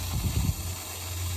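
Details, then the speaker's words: Sprinkler pressure regulator at a home over 15 years old: steady loud hiss with low rumbling flow; a noisy, failing regulator restricts flow so about 22 lawn heads barely pop up, to be replaced. "Now, one way you can tell if a regulator is going bad is it usually makes a lot of noise."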